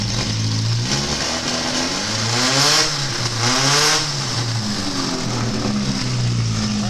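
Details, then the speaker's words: Triumph Spitfire 1500 with overdrive, a rolling and running chassis hot-wired at the coil: it fires on the starter and runs evenly, revving cleanly with throttle blips and no knocks or rattles. Normal running. "If I put that onto that coil and I touch that starter on, there we go."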